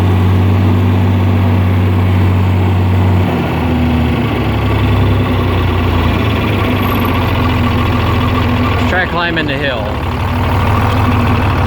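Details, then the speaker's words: John Deere 4010 diesel at wide-open throttle climbing a hill: deep steady rumble whose pitch sags and stays down, bogging and won't pull under load; owner suspects the governor isn't working right. "it's wide open. And it ain't gonna have enough power to climb that hill."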